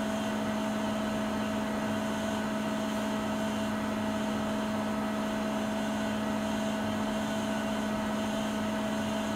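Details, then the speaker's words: Siemens iQ300 10 kg washing machine during a 13-minute spin program: steady hum, mid-pitched whine and airy rush at peak spin speed mid-cycle; normal operating noise. "Sıkma işleminin ortalarına doğru sıkma devri en yüksek seviyeye çıkıyor."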